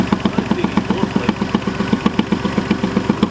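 Sharp, regular puffing ticks, about four a second, sit over the idle and keep time with the firing, pointing to a blown manifold gasket.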